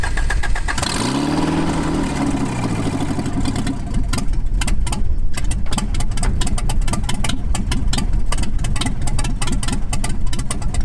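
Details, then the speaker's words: 1986 Toyota 4Runner first startup after fluid top-off, running with no exhaust (old system removed): cranks, catches, loud raw open-pipe sound, idle hunting up and down instead of settling. Surging idle persists despite idle-screw, throttle-body and timing tweaks. "It's still surging, but we're definitely gonna fix that."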